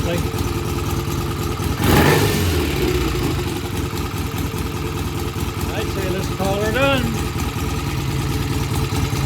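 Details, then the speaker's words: BSA A65 Lightning twin that was hard to start, after cleaning pilot jets and setting idle mixture and speed: runs evenly with steady low beat and picks up cleanly through quick revs; repair done. "okay that sounds good sounds very nice we're going to call her done"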